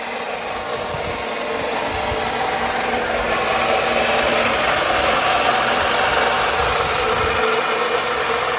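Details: 2009 Lexus IS250 petrol engine at idle, still loud after a water pump change: a loud, coarse whirring rattle that swells slightly and holds steady.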